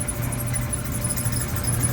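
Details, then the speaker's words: Dryer running on air fluff, heat off, listening underneath: thin higher-pitch squeak from a rear drum support wheel and lower constant squeal from the belt tensioner idler pulley. "I think it's one of those two Rascals or maybe both of [Music] them I think that higher pitch squeak is that wheel"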